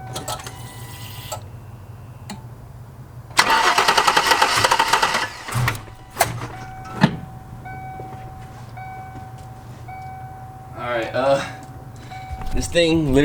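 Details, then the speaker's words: A couple of seconds of steady cranking with no firing pulses after a Typhoon intake manifold install; injectors and coil packs checked, owner suspects the tune may not work with it. Cranks but won't start. "does not wants a fire right now so give me some time guys"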